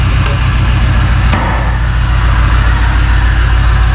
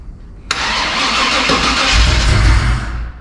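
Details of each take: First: 1999 Vortec 454 7.4 swapped into a 1985 Chevy C10, first start: rough, uneven idle, stumbling beat, popping out the exhaust, a couple of driver-side cylinders not firing well; misfire traced to injectors stuck open and shut. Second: 1985 Chevrolet C10 with swapped 1999 Vortec 454 7.4 V8, fuel injectors just reinstalled, oil and antifreeze filled: brief even cranking then the V8 catches with a deeper rumble before being shut off; cranks and fires normally.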